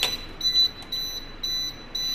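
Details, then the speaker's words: MCC panel testing, section with 17 motors switched to auto then manual: sharp high-pitched beeps in bursts about twice a second from the panel buzzer/siren as motor no. 6's overload indicator shows tripped; overload trip alarm. "ఆ indicator trip అయింది కదా, చూసారు కదా. మనకి buzzer sound వినిపిస్తుందా మీకు?"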